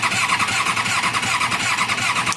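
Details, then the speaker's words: Kawasaki Ninja 636 sitting for a while, just reassembled, exhaust unfinished: starter cranks the engine in a quick even rhythm but it never fires; owner suspects it is out of gas and not picking up fuel. "sounds like it's out of gas to me. It does sound like the fuel pump's changing. Yeah, I'm pretty sure it's out of gas. It does crank,"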